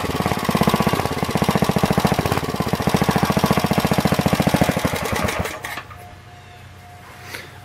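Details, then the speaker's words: Planet Jr. Model B walk-behind tractor, first start after draining old gas, adding crankcase oil, belt off: uneven single-cylinder chugging that won't settle, then dies after about five seconds. No smoke; idle won't hold, needs carburetor adjustment. "it wasn't bad for a first start not smoking or anything and just needs a little bit of carburetor adjustment and see if we can keep it at a good idle"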